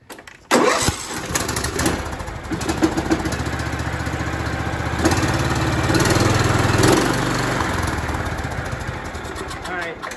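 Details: John Deere L110 tractor with single-cylinder Kohler Command engine, after repairing a no-start blamed on a sheared flywheel key: fires up right away and settles into a steady, even run with no misses or popping; normal running.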